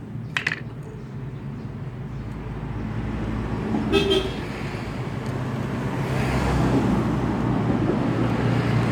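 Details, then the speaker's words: Kawasaki Rouser 135 single-cylinder after carburettor draining and air filter cleaning: runs ragged, revs climbing unevenly and sagging, hard to start and stalls; dirty carburettor suspected. "agag ganito yung kondisyon ng motor natin medyo pag mahirap umandar yan kaya mamatay yung motor natin"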